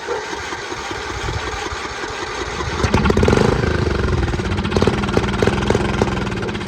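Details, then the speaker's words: Free Facebook Marketplace Craftsman riding mower with rodent-fouled wiring (owner suspects exposed wires) cranks, catches after about three seconds, then settles into a steady, even beat with no misfire or knock; normal running. "It's alive."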